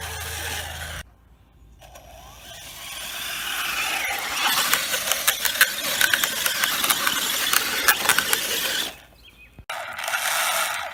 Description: Hot Racing 2 speed transmission makes a popping noise. I assume it is the transmission since the noise did not occur prior to the installation of the transmission.